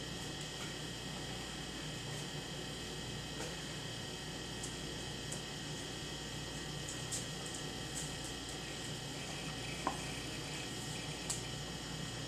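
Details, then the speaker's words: 1993 IBM PS/1 Consultant 2133-G49 (25 MHz 486SX, 2 MB RAM, 129 MB hard drive) just after power-on: a steady fan whir, a faint high whine and the odd soft drive click. An old PC running normally. "But let's get this thing powered on. Alright. Let's listen to the amazing sounds of old PCs."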